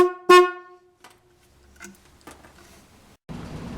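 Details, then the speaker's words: Working AC Delco horn from an early-1980s Cadillac, played as the target sound before showing the repair: a short, clear, strong blast with steady pitch and no buzz or rattle. The horn works properly. "In this video, I'm going to show you how to take it apart and fix it so your horn will sound like this."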